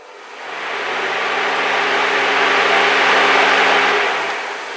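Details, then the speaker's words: Cooling fans activated by jumping relay base terminals 30 and 87 with a jumper wire: a steady whooshing hum spins up within a second, holds an even pitch, then winds down; fan motor runs properly. "you can put it across terminals 30 and 87 and you should hear the fans activate"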